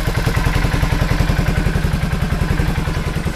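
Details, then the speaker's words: 2003 Suzuki Burgman 400 scooter revived from junk, muffler refitted, only an oil change so far, original plug, valves still need adjusting: even, steady low thumping at idle with no knocks or misses, ticking over smoothly; normal idle. "All right, here she is. She's idling now. Got the exhaust on. It's actually running, which shocks the heck out of me. Seems to be running okay."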